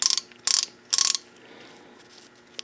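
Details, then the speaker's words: 2010 Yamaha YZ450 kickstarter kicked while the engine is already running gives short bursts of sharp, rapid metallic clicks as the one-way ratchet teeth slip. This is normal ratchet freewheeling. "you pull over and you just your the bike's running you guys are talking then you mindlessly try to kick it and it's actually running already that's what you hear"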